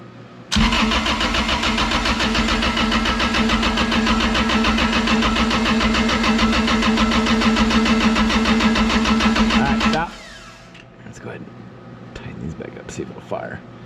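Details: 2007 Bad Boy AOS 7200 mower with 35hp Cat diesel, gasoline in the fuel; filter drained and refilled with diesel, battery charger connected: steady cranking at about three and a half turns a second for ten seconds, never catching.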